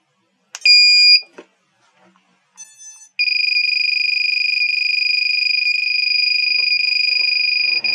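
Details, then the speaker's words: KK2.0 flight controller on a 330-class quad refitted with LED night lights: at power-on its shrill buzzer gives one short beep, then sounds almost nonstop, even when armed or running motors. It is the low-voltage alarm, fixed through the alarm setting. "let me just turn that off because it's annoying now what's actually causing that is the low voltage alarm"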